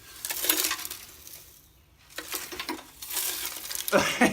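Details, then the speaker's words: Porsche 911 996.2 original sports exhaust (PSE) silencer, removed from the car and shaken by hand, gives irregular metallic clinks and jangles; the internal baffles are broken and loose inside the silencer. "It's just buggered. Sorry, excuse my language. It's knackered on the inside, but I'm so pleased I've got that out."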